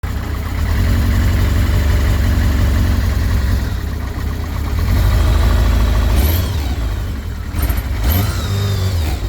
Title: kawasaki zr-7 bad engine noise